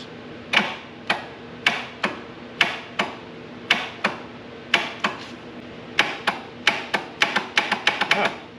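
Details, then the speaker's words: Air-cooled Lister diesel on a first crank attempt with oil barely on the dipstick. The starter gives sharp single clicks about every half second, then faster, with no cranking: the solenoid kicks but its copper plate doesn't bridge the two poles. "the starter is not connecting so the solenoid is kicking but it's not actually making the copper plate hit the two poles to make the motor go"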